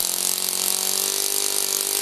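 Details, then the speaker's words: Saito FA-40 four-stroke glow plug model engine, 6.6 cc, about 500 W, methanol/nitromethane fuel, propeller load: high steady even buzz, no misses; running normally. "As soon as the motor is running, the glow plug can be disconnected from the voltage source. The wire filament is now heated up by the combustion process."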